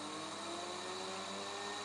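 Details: DC motor on a PWM power regulator fed 26 V from a current-limited supply: smooth, even electric whine with steady high tone, no roughness, speed raised progressively by potentiometer. Normal running.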